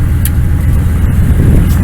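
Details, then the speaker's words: 1999 Dodge Ram 1500, 5.9L V8 gas, cold Wyoming morning start (around -24 forecast) after a new starter, tensioner and idler pulley: took about three tries to stay running, oil pressure way up, then a deep, steady idle with no misses or knocks. Normal cold idle. "She's not happy about it, but she started. Not bad. I started like 3 times before she stayed running. Oil pressure's way up."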